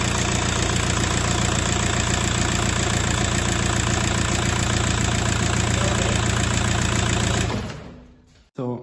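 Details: VW Passat B5.5 1.9 TDI after timing belt and water pump replacement, first start: steady, even diesel clatter at idle for several seconds, then a clean shutdown; engine runs normally.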